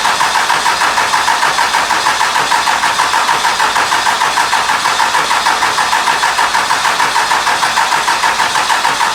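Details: 2001 Cummins dually diesel, about 240k miles, after cracked 53 block replaced with rebuilt 56 block and ground strap reconnected: steady, even idle with regular light clatter, no misses, knocks or hunting; normal idle.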